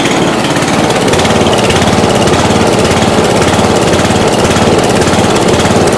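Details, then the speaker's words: 1992 Yard King lawn tractor, first start after about seven years sitting, cold day: loud steady chugging with an uneven loping surge about twice a second, running rough; cause not confirmed. "this is very cool yeah she's gonna run a little rough but"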